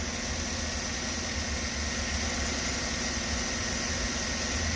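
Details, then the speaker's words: 2013 Chevy Suburban V8 at idle, 93,000 miles, apparently never tuned up: faintly uneven loping low thump with slight shake; scanner shows cylinder 1 misfire P0301, left-side cylinder. "t we have a number one cylinder misfire okay that's what it says the other one is a permanent code all right so i detect a little bit of a shake"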